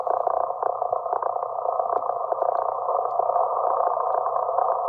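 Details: 160 m receiver tuned near 1.806–1.822 MHz: loud steady raspy buzz with low mains hum, repeating every 16 kHz, traced to a failing Antec HCG-620M desktop PC supply 0.20 miles away; replacement cured it. Switching power supply interference.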